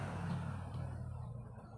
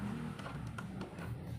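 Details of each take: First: Old National electric/desk fan on speeds 1–3 gives only a steady low hum without spinning, no wobble felt; stalled motor from a failed run capacitor. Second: Old-model desk fan that only hummed and turned slowly, after replacing its capacitor, runs on speed one with a steady low hum and no rattle or grinding: healthy motor.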